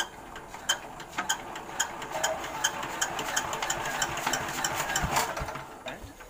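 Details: Single-cylinder diesel turned over by hand with slow, evenly spaced ticks and knocks; it cranks heavily and struggles to fire, showing hard cranking and difficult starting.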